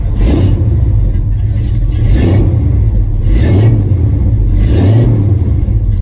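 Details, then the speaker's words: 1974 Ford F-250 V8 with new mufflers just installed, mocked up but not fully bolted down. Deep, even rumble through three clean revs with no rasp or leaks; a healthy, moderate exhaust tone. "That's the sound I was looking for. It's still got a good sound to it. Still got a nice tone, but it's not so overbearing where I'm not going to be able to get it past with the DMV."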